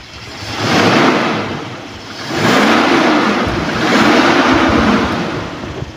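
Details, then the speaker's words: 1997 Toyota Kijang LGX revved: three smooth throttle blips, revs rising and falling evenly with no misses, knocks or rattles; smooth both at idle and when revved, engine healthy. "raungan Kijang Emang dia ada duanya halus sekalipun dia stasioner ataupun kita geber suaranya tetap halus tetap oke"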